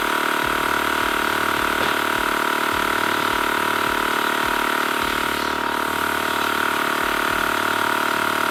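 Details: TACKLIFE M1 tire inflator on a car tire, 35 psi target: steady pumping thump with a constant hiss behind it; air escapes at the hose chuck, so the tire loses more air than is pumped in.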